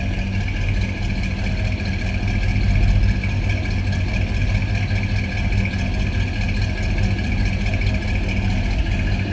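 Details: 1964 Chevrolet Impala convertible with a 327 small-block Chevy V8, Edelbrock-equipped: deep, even, throaty idle rumble with a steady lope and no knocks or ticks; normal idle.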